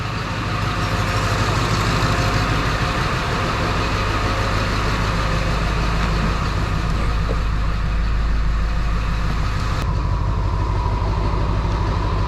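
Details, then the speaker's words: 2002 Ford 7.3 Powerstroke diesel after the engine was installed, on a new tune: steady, even low idle rumble with no knocks or misses; healthy. Owner plans to pull fuel, as it hazes badly when cold but not when hot. "oh yeah that sounds good that's it I'm gonna pull more fuel out of it plus when it's cold it does haze real bad"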